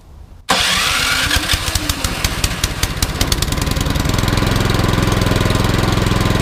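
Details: Troy-Bilt Storm 2410 snowblower after surging/rough-running repair, next-day cold start: small single catches quickly and settles into a fast, even putter with steady firing and no hunting; normal cold start.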